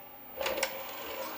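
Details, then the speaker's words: Atmark Pippin console, nearly 30 years old, after PRAM battery replacement: a short motor whirr and light clicks as the CD tray slides out smoothly. The tray mechanism works; the fan was noted as noisy. "Oh, good. Tray opens."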